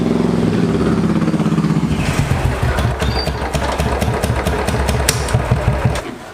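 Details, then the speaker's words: Fuel-injected Royal Enfield Classic 500 single-cylinder: slow loping idle that seems too low (spec 1050 rpm), with stalling, exhaust backfiring on decel and MIL lit; low idle suspected, to be checked with diagnostic tool. "Memang ini sepertinya langsamnya kekecilan. Sempet si mil indikator juga nyala, nanti akan kita coba reset ya."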